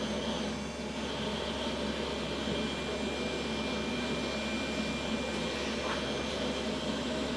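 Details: Old beige Pentium PC with Windows 2000 running: constant loud whooshing roar with a thin steady whine; power supply and case fans seem in poor shape, cause suspected, not confirmed.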